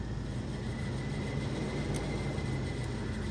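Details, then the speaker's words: Audi TT MK1 radiator fans bridged at the thermal switch plug to run at low speed, which is not relay controlled: steady even whoosh with faint high whirr, fans working normally. "and then this is the low speed you can hear that it's not relay controlled"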